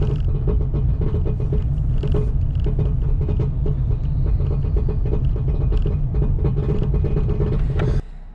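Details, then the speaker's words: Turbo LS Camaro with new injectors and rough speed-density tune, driving: rapid repeated clunks and rattles over heavy low rumble, then cuts out; driveline broke, suspected driveshaft, transmission or rear end. "It's got to be drive shaft. Well, that's exactly what that is. I hope. Sounds like we broke the damn transmission."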